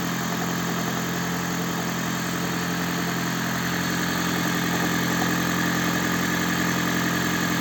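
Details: Toyota Prius (20/30) at cold start: rough, shaky idle with misfire and a dull knock about three times a second, attributed to the crankshaft damper.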